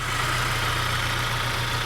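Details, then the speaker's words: Saab 9-3 Turbo that had low oil pressure, tapping, banging and seemed locked up, after Liqui Moly 2037 engine flush: smooth, even idle with steady low rumble, no tapping, rattling or banging; oil pressure light off. "This car is running quiet. It's smooth. No more oil pressure light."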